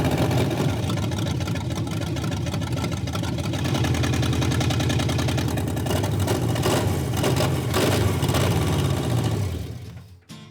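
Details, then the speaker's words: Barneville engine running for the first time after exhaust manifold and starter conversion work: rough lumpy idle with uneven chuffing and stumbles, running on only some cylinders; misfire, cause not yet found. "It's alive! Well, 62% of it. That sounds really terrible, and it's running on 4."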